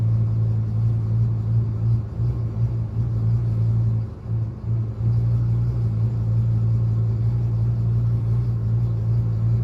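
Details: 1999 Ford F-350 V10, deep idle rumble dipping and stumbling around the two- and four-second marks then recovering; misfire with idle surge, cause unknown.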